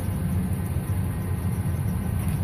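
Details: 2007 Ford F150 that cranked but wouldn't start, idling after the broken fuel pump driver module was reconnected and sealed in a bag with electrical tape: low, smooth, even idle rumble with no stumbles or dropouts. Normal idle after repair.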